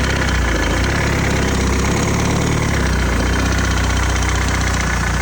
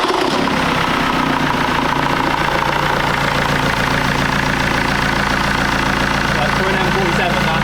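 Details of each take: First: BMW X3 diesel, a used daily being made MOT-ready, idling steadily. A light, fast tick up front rides on the idle rhythm; diagnosed as the rubber-bushed crank pulley. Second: BMW X3 diesel after new crank pulley and bolt, started with the AC compressor belt removed because the AC was loud and not working: steady even idle with light quick clatter, no knocks or belt squeal; sounds healthy and smooth.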